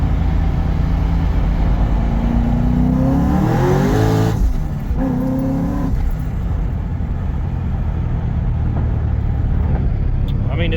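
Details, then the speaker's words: Engine with the new manual belt tensioner, second-gear pulls up to 7,000 rpm, where the belt used to walk off the pulley by the third pull: revs wind hard and drop back cleanly, no squeal or slap; belt holding. "going up to 7,000 she's uh so far not pulling off usually by by the third pull I would have it uh kind of kind of walk off the pulley"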